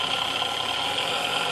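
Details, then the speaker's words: Vintage Sunbeam Mixmaster Model 10 that would not run, after the cord was replaced and the mixer serviced: steady, even high-pitched motor whir with no knocking or dropouts, the motor running normally. "I'm gonna go ahead we're gonna plug it in and hope we get a different result this time"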